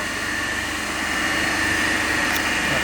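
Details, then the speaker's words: Three-phase induction motor coupled to DC compound machine, running on balanced 230 V per phase supply at no load: steady even hum with constant tone, no knocks or surges; normal running. "so now we are running the motor as a 3-phase only, and we are taking the reading under that balance condition, okay, without load."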